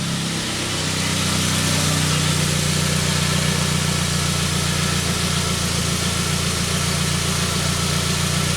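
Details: 1999 Saab 9-3 with crank-no-start complaint: slight hesitation, then steady even idle with smooth low hum, no knocks or misses.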